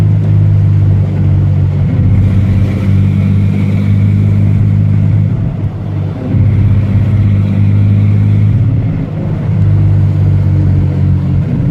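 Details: Ford Ranger engine running: low, uneven rumble that stumbles and sags, a persistent misfire that remains despite many parts already changed.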